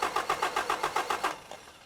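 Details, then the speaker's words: Toyota 22RE engine in an X-chassis buggy with an all-new fuel system (pump, two filters) and a new starter: about ten even cranks at roughly seven per second, no firing. The new different-brand pump with the same part number is suspected of low fuel pressure. "I guess that pump didn't have enough fuel pressure. thing was brand new and it was the same part number."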